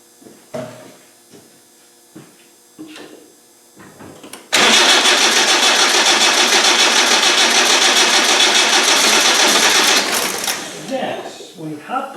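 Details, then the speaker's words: Land Rover 300Tdi after rebuild with fuel problems and a low battery: a few dry cranks, then it catches and runs strong and steady once diesel reaches the injectors. Lift pump suspected as the fault; normal start and run. "well seems as if it's the lift pump i'll let these fumes die down well at least it's a runner"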